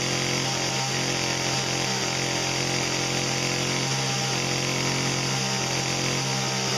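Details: Two-stroke saw running after cold start on seven-month-old pre-mixed ethanol-free small-engine fuel: steady high-pitched buzz holding even revs with no stumbling or surging; clean-running, healthy saw.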